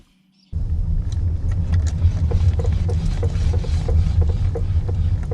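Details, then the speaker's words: 2015 Lexus ES350 parked and rocked: quick, uneven knocking clunks over low rumble from the sunroof assembly as the body flexes, gone with the sunroof tilted up. "okay so i tell the wind sunroof up like that no more noise watch when it tilt up doesn't matter how much i yank it no more noise"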